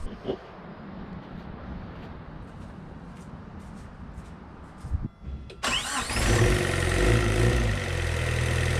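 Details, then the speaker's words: 1986 Suzuki Samurai turbo diesel after replacing the failed, leaking injector pump with a rebuilt one: the engine catches at once and settles into a steady, even clatter, no misfires, hardly any smoke; smoothest idle yet, some blow-by. "that is the best and smoothest this engine has ever ran even the smoke it's like non-existent"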